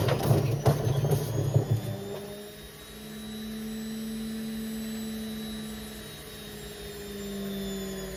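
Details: Indesit IWC71453 washing machine, a few heavy clunks, then a steady droning hum with a low rumble as the drum spins up: worn drum bearings roaring.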